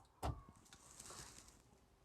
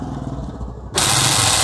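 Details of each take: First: Hyundai Eon central locking after repairing the left door lock/unlock motor's damaged bracket with a cable tie: crisp single clunks as locks cycle, no buzz or rattle; the loud lock/unlock noise is gone, working normally. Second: Hyundai Eon left-hand door central locking motor during lock/unlock: short harsh buzzing grind under a second; broken motor bracket lets the rack-and-pinion slip, fixed with cable tie.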